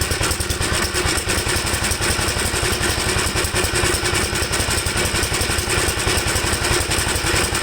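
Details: 1954 Gravely single-cylinder tractor after carburetor cleaning, on choke: chuffs at fast idle with clattery, uneven beats; owner says it seems to run rich and stalls when leaned out, cause still unclear.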